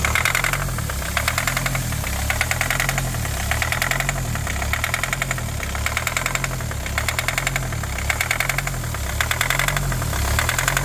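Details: 2020 Kia Sportage at idle near startup: sharp metallic rattling taps in rapid bursts over a lumpy, surging low engine beat. The engine is running rough with a pronounced knock; the engine was later disassembled.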